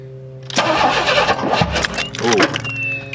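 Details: 1994 Chevy Astro van with newly installed remanufactured engine, first start attempts after ignition timing trouble; starter churns and engine coughs but never catches, music in background; owner suspects distributor timing off.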